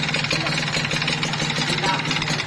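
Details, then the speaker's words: Kawasaki Ninja RR two-stroke, before repair, bore worn white: fast loose metallic rattle over the idle, tapping every turn, very loud, a worn piston slapping in the tired bore. "Leteknya parah banget ya. Bagian yang letreknya itu ada di bagian sini ya, kedengarannya keras banget."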